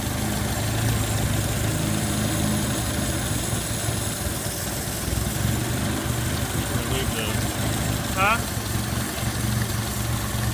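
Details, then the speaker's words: 1980 Chevy LUV, unrun for years, after clearing a completely plugged carburetor jet believed to be the idle circuit: steady, even low idle holding on its own, rain hiss behind; it now idles. "let's start it up starting to rain we've got idle circuit"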